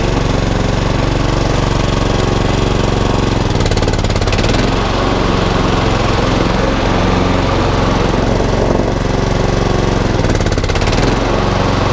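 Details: HRX476 mower, fully serviced, drive belt rerouted over the back pulley after being installed incorrectly: single-cylinder engine holds a steady, even beat under load with no surging or misfire; healthy, drive strong, rotor clutch works.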